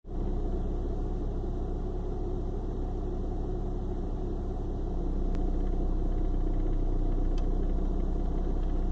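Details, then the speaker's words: 1995 BMW 318i idling; deep, uneven rumble with irregular shake about four pulses a second, like a misfire despite new spark plugs; rough start and idle come and go day to day; cause unknown. "It does this on and off from time to time. One day it starts good, next day it's just shaking."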